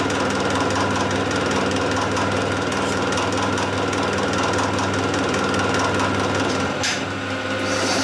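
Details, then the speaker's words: Gear chatter from a mill during a full-depth heavy cut while machining the square on a shredder drive shaft: a rapid, rough chattering rattle of about four per second over the motor, with the gears chattering under load. "Let me take the full cut. You can still hear the gears chattering."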